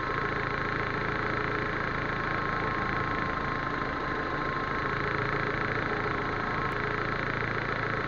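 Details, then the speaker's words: Proton Waja MMC automatic petrol with an idle complaint: starts well, then a steady, even idle sits a touch high with no knocks or misses while cold. TPS is reset to the 644.5 mV standard before warm-up and base timing. "Okey start cantik boleh. Tapi dia kata dia up sikitlah."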